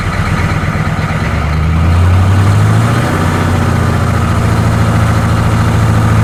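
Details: 1985 M1028 CUCV, GM 6.2L diesel, after new custom 3-inch two-into-one exhaust with 3x24 free-flow muffler: deep even idle with brief blip, no rattles or buzzing; healthy solid exhaust.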